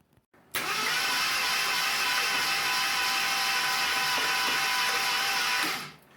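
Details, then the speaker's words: 1975 AMC Matador barn find, sat 30+ years, cranked with all spark plugs out after a new starter solenoid and starter maintenance: steady even starter whir, no compression pulses, clunks or valve train noise; engine rolls over freely. "now mind you i've got all the plugs out so there's no compression but that is rolling over nice i'm not hearing any clunks i'm not hearing any valve train noise or anything"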